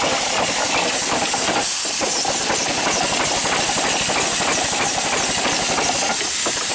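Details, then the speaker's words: Steam engine on its first run, boiler low on pressure: a loud steady hiss of escaping steam over a quick chuffing beat. It runs but leaks badly from many worn seals that still need fixing. "so we've got a lot of seals to do and speaks to fix but we can take care of that problem"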